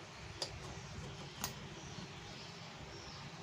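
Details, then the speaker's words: Polytron active powered speaker amplifier, after repair of a secondary voltage drop caused by a faulty TDA amplifier IC: idles cleanly with a low even hiss and faint clicks, no squeal or whistle anymore; normal amplifier idle. "hai oke suaranya senyum enggak ada bunyi mencicit lagi"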